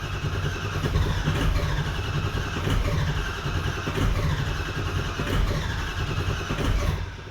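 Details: 2004 Ford 6.0L Powerstroke diesel, previously had a bad injector: starter drags the engine in an uneven rising and falling rhythm for several seconds, never catches; crank no start, cause suspected, not confirmed.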